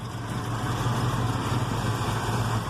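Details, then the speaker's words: Ford 460 V8 just after Holley 4180 carburetor rebuild: deep, slow, steady burble without stumble at about 14 inches vacuum, but idle too low and lazy, needs raising; running rich. "but I think my idol is a little too low for doing anything really I'm at what 14 inches of vacuum I mean things sounds like a beast right now"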